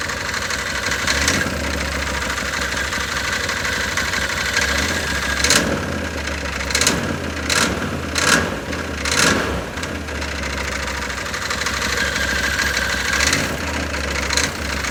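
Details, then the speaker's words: Can-Am Maverick 1000 started with the seat out and wheels chocked, throttle worked by hand: a low uneven idle with irregular bursts of metallic chatter on throttle blips, a suspected bottom-end noise that is not confirmed. "Well, you can hear that thing's already making weird noise. Now I've got chocks behind the wheels, so I think we should be okay. But you can hear it making noise. It's making like a chatter noise."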